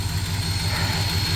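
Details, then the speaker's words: 1965 Cadillac big-block V8 idling with a deep, even pulse, timing set a little high, and a light, quick top-end lifter tick on one side, slighter on the other; blamed on years without lead additive or zinc oil. "it has a lifter tick on this side and a slight one on that side"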